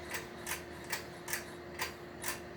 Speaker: does make a lot of noise on high speed but it does work